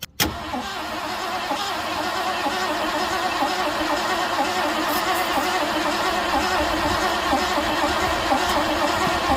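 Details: 1967 Ford Galaxie sitting 35 years, new fuel filter, fuel gravity-fed from bottle into carb bowl: long steady cranking about four beats a second, never catching or speeding up; turns over but won't fire, plugs to be checked.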